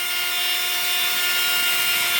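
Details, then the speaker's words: 3018 CNC upgraded brush-style spindle motor at 100% PWM: loud steady high-pitched whine and thin hiss, motors and bearings pushed to the limit, owner suspects noise brings bit run-out; whine at full speed. "so if I go to 100% I mean this thing really hauls ass you notice after the w got that little bit of that whne sound kind like you get from a shot back or something just pushing the motors and the bearings to the Limit"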